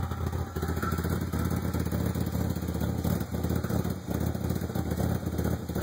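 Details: 1995 Ford Probe GT after emissions repair and new exhaust manifolds and rear exhaust, plugs replaced but original wires: lumpy unsteady idle with uneven low pulses and clatter on top; rough idle, cause unknown, ran smooth the year before.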